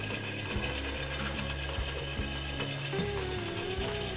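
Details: RO water filter pump hums with rough ratcheting clatter and sharp clicks from a worn rusty 6201 motor bearing, needing bearing replacement.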